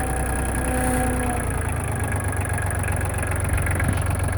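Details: LK3054 diesel at idle, after a low-speed trip down the road, outside temperature 45°F: an uneven rumble with a faint high whistle early on. It is a strange noise located near the hydraulic pump, cause unclear.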